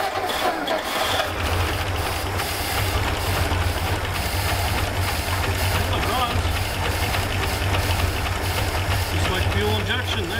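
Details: 1957 Meteor Rideau V8, first start after long storage on starting fluid: steady low rumble, fires and keeps running, rough but alive.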